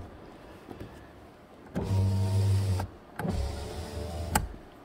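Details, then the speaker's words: 2007 Honda Accord SE, three power windows dead from every switch because the failed master switch didn't ground the power window relay; after the relay workaround, two steady motor whirs ending in soft thumps, windows working normally. "so now with the relay installed the windows work because there's a ground to the power window relay and the power window relay supplies power to those three fuses"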